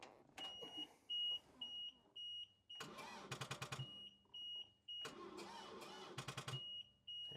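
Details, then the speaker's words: Power Trac PT 1850 diesel mower/tractor, after tightening battery connections: short bursts of slow, labored cranking under a steady warning beep; engine barely turns, about two revolutions, and never catches. "got two revolutions out of it that time so that's a little progress I guess"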